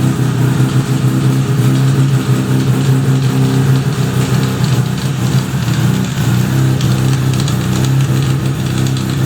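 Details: 1975 Suzuki RE5 after full restoration, idling with a steady low drone and a rough mechanical undertone; abnormal transmission noise, cause not yet known, engine to be removed to inspect the transmission internals.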